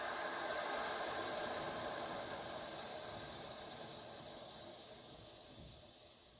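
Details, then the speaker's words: Truck air-bag suspension dumping while towing a trailer with a car loaded at the front; loud air hiss starts strong and fades over several seconds as the bags empty. Normal dump. "Okay, I'm gonna get her to dump it."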